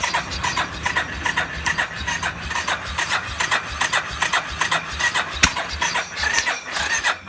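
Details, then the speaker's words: Warrior #4 single-cylinder, about 1–1.5 hours on a rebuilt motor after valve adjustment, no tank fitted so fast idle may be fuel starvation: even light tapping, rattle much quieter than before (tensioner maxed, valves tapped earlier); runs good, normal idle. "But definitely ain't rattling as loud. It runs good."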